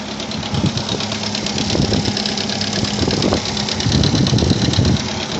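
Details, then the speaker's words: Opel Rekord 2.2i petrol engine idling with an uneven metallic clatter over the steady hum: timing chain rattling. "о там звук как гремит цепочка гриміть падла цепочка гриміт хорошо Блин"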